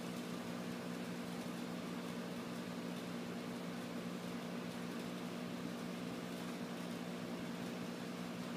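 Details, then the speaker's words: Old refrigerator compressor converted into a vacuum pump, pulling vacuum on a gas measuring cylinder with output valve left open: low, even hum, steady tone, no knocking or rattles; compressor runs smoothly and normally. "Yeah, you can hear it running. You'll start seeing the pressure drop in the cylinder."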